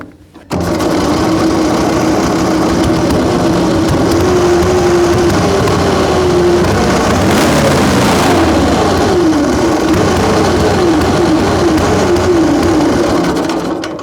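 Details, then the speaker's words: Excelsior motorcycle, first start after 3.5 years: uneven, stumbling running with the ignition retarded, then revs up freely at full advance. "See, it didn't run, and then I put it to full advance, and then it revved up."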